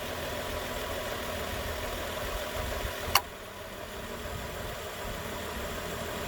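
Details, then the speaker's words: 2013 Nissan Pathfinder, 265k miles, after new AC clutch and serpentine belt: steady even idle, one sharp click as the new compressor clutch pulls in, then slightly quieter smooth run; normal. "okay it's on again you hear the click that's a new click that's the sound of a new click yeah everything looks fine"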